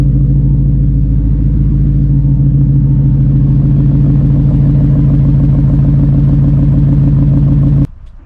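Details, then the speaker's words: Cobra Daytona build with a Coyote V8, fully warmed up: deep, even rumble holding steady for about eight seconds before switch-off, a healthy warm idle. It sounds poor when cold, and the owner thinks the tune needs fine-tuning. "It's up to temp now. I just had the AC running in there. Works awesome. So, but you can see her now. It's got a nice little rumble to it."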